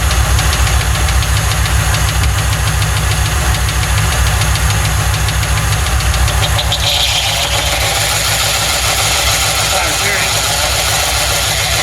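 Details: 1995 Lincoln Mark VIII 4.6 4V Ford Modular V8 idling, first start after timing chain set job (received with no oil): sharp light tapping about three per second; sounds like rod knock, needs a new engine.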